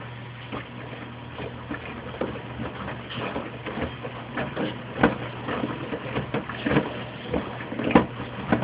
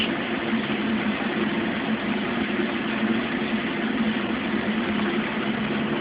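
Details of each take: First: Mueller Special washer, Quick cycle at 60°C washing a big duvet: uneven hollow knocks about once a second over the churning. Loose detergent dispenser ball banging against the door, then removed. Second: Mueller Special Brazilian washer, cold-fill-only machine that heats water itself, duvet load on 60°C wash with extra rinse, start of cycle: even steady hiss of incoming water, no knocks or hum changes; normal cold fill.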